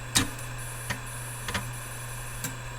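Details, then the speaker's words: Altair 8800 booting CP/M from floppy while testing a homebrew 1702A EPROM board address decoder, Logic Pro probe buzzing on state transitions: a few sharp floppy head-seek ticks over a steady low hum, normal disk access. "So the Logic Pro makes a little buzzing noise when there's a state transition, and I heard the floppy access."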